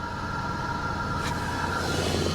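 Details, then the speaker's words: 1985 Chevy El Camino V8 first start after sitting a long time on a battery tender: uneven, lumpy idle with shaky low rumble, engine visibly bouncing; cause unknown; rough running. "let's let's see if it'll fire up oh well she's not running well she's not running well at all"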